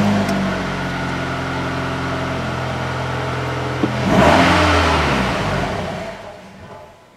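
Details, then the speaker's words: 2011 Ford Escape 2.5, 192K miles, stalled at a stop sign: with no throttle it idles, flares once, then sags and dies within about three seconds, running insanely rich, no check engine light; mechanic suspects mass airflow sensor. "then it stalls. That's the most it's ran ever right there, but it is insanely rich. And then it just shuts off."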